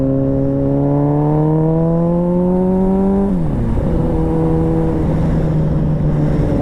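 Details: 2001 Suzuki Katana 600 with new petcock fuel valve and loud gutted exhaust pipe: engine note climbs steadily, then sags and stumbles struggling to hold revs; it was running out of fuel.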